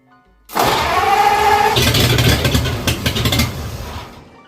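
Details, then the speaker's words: Engine originally from a '48, with a shortened crank snout carrying pulleys to drive the generator and a crab-style distributor. Brief whirring crank, then it catches into a steady, even idle with a firm low rumble; runs good. Normal start and idle. "Runs good."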